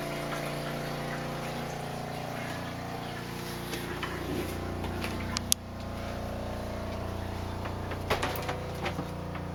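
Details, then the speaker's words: RV water pump before silencing, heard inside the closed RV: steady droning hum with a buzzy pulse, loud throughout the cabin from pump vibration. "pretty loud all the way around no matter where you're at in the RV"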